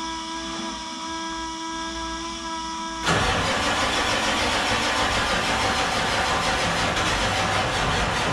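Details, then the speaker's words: Diesel truck after a Stage 1 build: a whine, then slow churning cranking at about 3.5 turns a second that never catches. The cranking felt weaker and drained the batteries, and the owner blames air in the fuel system and HPOP. "The truck did not start. I actually drained the batteries again trying to start it, and it just would not crank. And for whatever reason, it's just this time it felt like it was just, you know, weaker."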